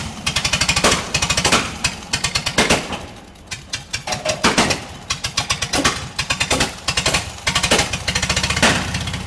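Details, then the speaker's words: Bantam T-35 crane with gas four-cylinder LeRoi D176, long-sitting: uneven, stumbling firing with irregular sharp cracks and surges; owner suspected magneto; misfire from ignition timing off. "you can hear that engine doesn't want to run right and i i swear it's the magneto so maybe i'll mess with that a little bit"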